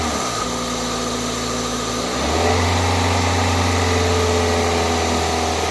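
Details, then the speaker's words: 2002 Toyota Corolla four-cylinder just started after new coil packs, spark plugs and a cold air intake: slightly uneven idle pulse that picks up and steadies after a couple of revs while warming up. Rough idle clearing up. "let me try to warm her up some better idle kind of hot okay it's clearing up some now that I've revved it a couple times"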